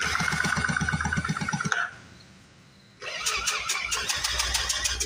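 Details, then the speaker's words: A Speedway Series 1000-watt two-stroke generator, with fuel poured down the plug hole, cranks rhythmically with pauses but never fires. It feels like it has compression, and the owner wonders whether the spark is strong enough. "no acts like we're not getting any fire it feels like it has compression wondering if we're getting good enough fire"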